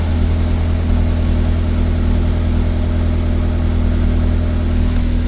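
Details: MG TF started after sitting in storage with the battery disconnected, just reconnected, immobilizer turned off, not yet up to temperature: smooth, even low hum with a steady beat and no knocks or misses; normal idle.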